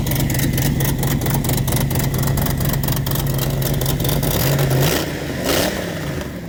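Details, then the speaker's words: Race car with a broken exhaust header needing welding: loud, rough idle with sharp raspy puffs on each firing pulse, then a quick rev; sounds worse than a demolition derby car. Exhaust leak from broken header. "H I've heard Demolition Derby cars that sounded better right now but anyway we got a little bit of work to do for our next race"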